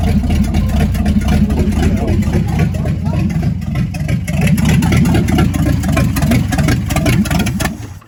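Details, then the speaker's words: Chevrolet C50 truck's first start attempt, gas pedal not yet hooked up: the starter turns the engine over in a steady low chug, about four beats a second, but it never fires; oil pressure didn't come up, and the owner suspects it's out of gas. "crank it again the oil pressure didn't come up i don't know why hold it i think we're out of gas"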